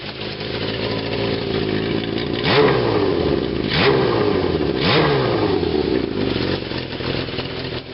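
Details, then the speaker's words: 1981 Kawasaki KZ550 LTD four-cylinder, throttle blipped three times: ragged puffing chatter on the exhaust note from exhaust leaks, one header nut missing and others loose; not an engine knock. "it's got a couple of exhaust leaks because uh all of these nuts and stuff one of them is missing they're not really tightened so if you hear that noise it's an exhaust leak it's not a knock in the [Music] engine"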